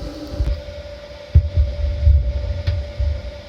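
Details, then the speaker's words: Frigidaire-built Kenmore electric dryer, after repair, running about four to five minutes on high heat as it warms: steady low rumble with a faint even tone and only soft occasional thumps, no loud roar; normal dryer running. "there we go it's been running for four or five minutes now and certainly by now it would have made that loud noise"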